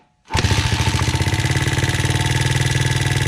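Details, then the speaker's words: Honda CRF 80F single-cylinder after valve adjustment, possibly set off top dead centre: idling with loud, rapid ticking clatter, worse than before; one valve found very loose. "Yeah, see, that's much worse. Ticking? Oh yeah, you didn't hear that? Yeah. Yeah, that's terrible."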